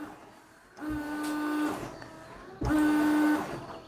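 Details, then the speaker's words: 1999 Daewoo Matiz with a newly replaced washer pump. Two short bursts of steady mid-pitched pump whirr, each under a second. The pump runs, but the rear washer hose has popped off. "That doesn't seem to be behaving quite as it should be. Oh, that's what. That actually works better. The hose has popped off."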